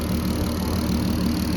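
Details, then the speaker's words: VW Golf MK5 R32 VR6 turbo build, about 400 hp, on first drive after about four miles: steady even idle with smooth low rumble and light quick injector clicking; engine running healthy. "I've only done about four miles in it idle's lovely drives nice comes under boost this is how it's running"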